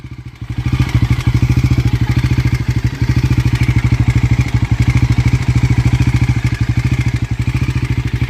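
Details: Bajaj Pulsar NS400 at idle; a quick light tick rides on each firing pulse, about three per second. Top-end ticking noise, cause not yet identified.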